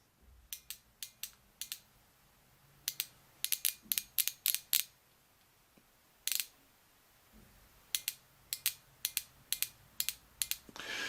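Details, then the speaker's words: Nissan 300ZX Z32 phase 2 fuel injector bench-tested with a 9-volt battery touched across its two connectors. A sharp crisp single click each time power is applied, in quick bursts over a quiet background; injector works normally. "when you hear that click, it means it works."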